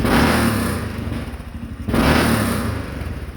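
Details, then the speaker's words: 2013 Honda Rincon 680 ATV after new camshaft install and break-in: two quick throttle blips with occasional sharp pops and crackle on deceleration; free-flowing exhaust suspected, possibly fuel, popping lessening with riding. "Yeah, sounds good. That exhaust is a little free-flowing, which makes it pop here and there, like that."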